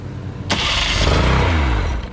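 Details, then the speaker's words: Outboard with good 110–130 compression, first start attempt: fires immediately and revs crisply with buzzy two-stroke note, no stumbling; normal start, good running motor. "oh yeah oh yeah this is gonna be a good running motor"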